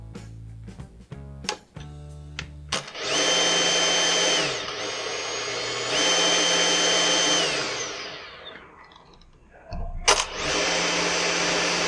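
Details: Husqvarna T536LiXP battery chainsaw that ran erratically, tested after trigger switch replacement: a few handling clicks, then the motor spins up to a clean, steady high whine three times and winds down smoothly. Normal motor run.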